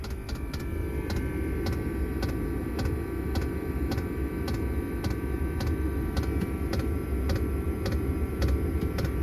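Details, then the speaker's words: Chinese Webasto-type diesel heater: steady, sharp ticking about twice a second over a low fan rumble as the 'silent' fuel dosing pump, under a cupboard, works normally, barely quieter than a standard pump; power peaks near 104–105 W. "Alors pareil, la pompe, j'ai acheté une pompe soi-disant silencieuse, hein, que tout le monde conseillait. Aucune différence, ou vraiment minime, hein, mais vous allez voir."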